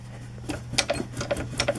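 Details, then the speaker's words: Alex powered wheelchair by Handicare, lifted off the ground, drive wheel rocked by hand after the motor was repeatedly repaired/replaced: irregular knocks and light clicks, several a second; whole wheel loose, worn drive motor bearings and gears with excessive play. "the whole wheel is loose and that's only this side so you add to that the other side okay of this wheelchair"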